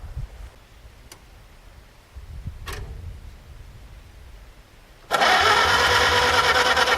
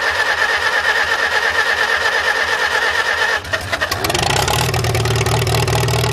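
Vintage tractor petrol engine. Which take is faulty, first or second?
first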